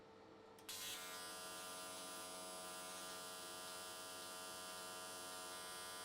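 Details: AC TIG on an S13 catch can at 95 Hz square wave, new settings tried: steady, even constant-pitch buzz with no crackle or wandering. Normal, smooth arc; went the whole way around in one session.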